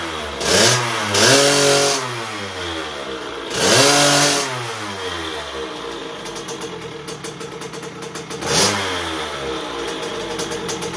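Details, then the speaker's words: 2001 KTM 50SX two-stroke after carb upgrade, still cold: blipped, then lumpy burbling idle that sputters and stumbles; definitely rich, carb likely needs pulling and re-jetting. "all right so it's definitely Rich you guys could probably hear that approaching sound so we're probably gonna have to end up pulling the carb and Jet it"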